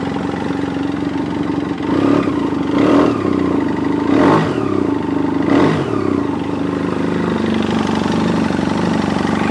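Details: 2007 BMW F800S cold twin engine clattering at idle with a hollow piston-slap knock after a few throttle blips.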